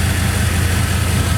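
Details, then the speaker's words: 2002 Chevrolet Silverado 2500HD with a new ACDelco power steering pump, idling after install; the old pump laboured when steering and braking together: smooth, steady low rumble with no whine or groan; now quiet. "it sounds pretty good right now guys I don't I'm not hearing much anyway"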